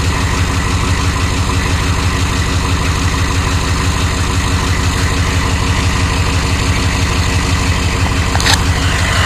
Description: 1993 chevy Dually Diesel 6.5L Turbo 4x4, Startup without block heater and revving engine. You should hear a engine knock of some kind.